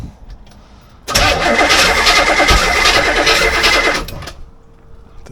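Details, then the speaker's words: C4 Corvette 350 just reinstalled, cranking on starting fluid: loud cranking with ragged pops, backfiring, never catches; owner suspects the timing is 180° out and too little fuel. "Yeah, I think I had it timed right. It's now backfiring out. Didn't have enough fuel."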